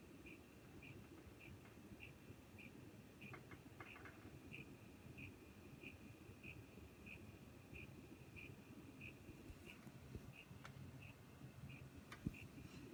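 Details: Corsair CX550M power supply in a newly built PC: faint sharp tick about every 0.6 seconds, described as clicking/grinding, over quiet room hum; cause not yet known.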